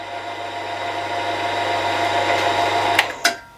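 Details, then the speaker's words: Milling machine spindle after new bearings fitted, preload and end float set; run at highest speed (high one), where chattering noise occurred before repair, now a steady smooth hum with no chatter, then clunks at shutdown; normal spindle running. "so it's really the highest speeds where i was getting the noise by one and high two and i've got to admit that sounds a lot better"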